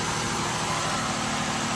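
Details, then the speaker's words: 2008 Ford Escape 3.0 L V6 that was burning oil, just after PCV valve replacement: even, steady idle hum with no misses or ticking; sounds better than with the old factory valve. Normal idle. "if it does it sounds better yes it sounds better from when the other on"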